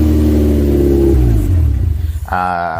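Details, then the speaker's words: First start of a Subaru EJ20 DOHC flat-four swapped into a 1976 VW Kombi with 4EAT auto: loud, rough running with revs wandering, idle not yet set and throttle body setup underneath not working, later changed. "obviously it was a bit loud. Uh idle wasn't set. the uh throttle body and all that wasn't working in that setup underneath."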